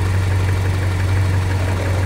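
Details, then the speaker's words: Toyota Kijang petrol engine after ignition timing/distributor and points adjustment, dwell now 48 degrees: smooth steady low hum at about 750 rpm with little vibration, no stumbles or tapping; healthy idle. "Alhamdulillah di sini untuk e suara mesin bisa dilihat ya untuk getaran mesin halus tidak terlalu getar Padahal di sini hanya menggunakan RPM bentar saya rubah dulu nah ini kisaran 750 ya"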